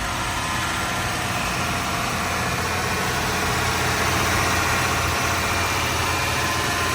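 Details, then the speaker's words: 1990 Toyota Crown Royal Saloon V8, 46,000 original km, just started: steady, even idle, smooth unbroken rumble, no ticking, knocking or stumbling; normal idle. "fires up with no problem 46 000 original kilometers"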